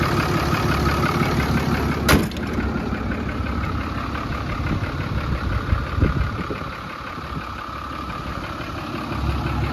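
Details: 2010 Dodge Ram 5500 turbo diesel, whose only concern is a slow, rough start: after a brief blip it settles into a steady, low idle clatter with no knocks or odd noises. It sounds healthy.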